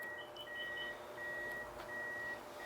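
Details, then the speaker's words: Reverse light circuit test-wired by hand: the car detects reverse and the backup parking sensor beeps steadily about two per second with a faster chirp overlay, though nothing is behind it; the sensor reportedly goes off for no reason. "It does detect it's in reverse. I hear my backup sensor going crazy."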